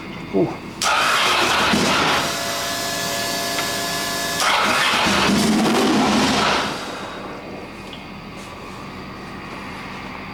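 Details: Custom land-speed motorcycle with rebuilt turbo Ducati 998cc engine, first start-up: engine catches and revs hang high instead of dropping back; sticking throttle.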